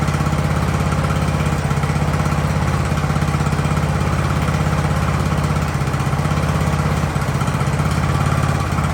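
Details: Ariens hydrostatic-drive riding mower, sat at least two years, idling in neutral in a cramped shop at about 30 degrees with the drive belt disconnected: steady low thrum at about three beats a second, no hunting or dying; normal idle.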